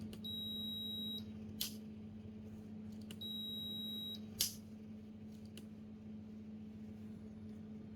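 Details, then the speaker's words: Midea induction cooktop under repair for unstable power and shutting off once boiling, 5 V regulator measuring 5.2 V: two clean, steady high power-on beeps about three seconds apart over a low fan hum, crisper than the earlier weak chime; normal. "mà khi mình bật có hiện tượng nó vẫn cứ hơi hơi cái kiểu như là yếu yếu nhỉ bật lại nhá nghe chuông thấy dứt khoát hơn"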